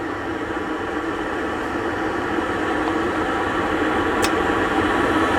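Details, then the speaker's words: MasterTemp gas pool heater checked for a buzzing sound (caused by gas pressure too high or failed gas valve): steady even burner roar with no buzz, running gas pressure about 7 inches water column from 10 static, ideal. "and there we go and so we're right at about seven inches of water column that's fine um that's an ideal running spot for this particular heater"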